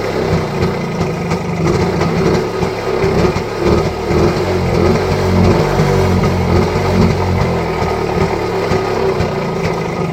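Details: Rajdoot 175 two-stroke motorcycle, long-sitting bike picked up for restoration, after cold start: fast, somewhat uneven idle with steady rapid firing and no knocks; normal idle.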